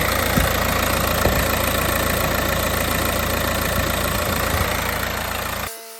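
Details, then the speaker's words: 2015 Mercedes A180 1.5 CDI diesel, Renault K9KF452 engine: after oil, oil filter, air filter and fuel filter service, steady, even idle clatter with no misses, knocks or whines, then clean shutdown; no leaks underneath; healthy. "Right, so we've just had that running, checked it now. It's bone dry under there, so we're fairly happy at that."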